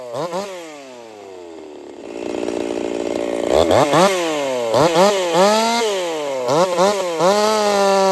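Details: Jonsered 2149 50cc racing chainsaw build, factory air intake, warmed up, cutting: bogs and surges under load with uneven popping and crackle, won't clean up; misfire, builder fairly certain of ignition coil issues, not confirmed.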